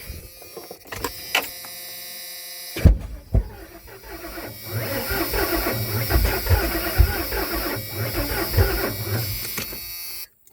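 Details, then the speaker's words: OBS Ford F250, just after replacing the overheated ignition control module: a few seconds of whirring cranking, then it catches promptly and settles into a steady, even idle; old ICM confirmed dead. "Well, it sounds like I got spark now. Tried hitting right off the rip. So that tells me this baby was toast."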